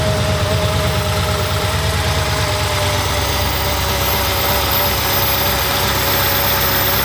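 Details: First start of a 1200hp supercharged Hemi with new Kooks stainless exhaust and Holley fuel system, checked for leaks: loud, steady, even V8 idle with constant supercharger whine, no knocks or misses; healthy, no leaks found.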